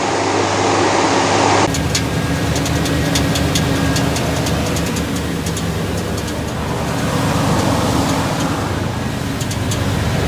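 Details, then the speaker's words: 1989 Chevy K1500 Silverado idling on a cool morning: rough idle with light uneven tapping about four a second, only when cold; owner suspects starter pinion barely contacting the flywheel, torque converter bolts checked tight. "you know things shrink just just enough to make this pinion gear right here barely contact the flywheel that tapping noise is it's intermittent it only does it in the morning when it's cooler"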